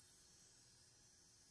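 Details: 1963 Montgomery Ward Airline Imperial console TV WG-5974A, Wells-Gardner line-operated chassis: no high voltage, sudden onset; tubes test good. A thin, steady high whine pitched too low while the oscillator coil is adjusted; horizontal oscillator way off frequency.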